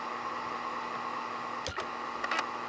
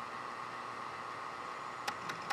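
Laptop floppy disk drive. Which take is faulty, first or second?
second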